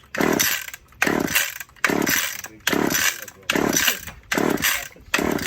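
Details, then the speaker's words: Old Stihl or Husqvarna chainsaw with choke on, suspected old gas in the carb and an aged spark plug: about seven rasping pull-starts just over a second each, never firing; hard starting, engine fails to run. "That's the choke is on. It's probably just got a lot of old gas in the carb."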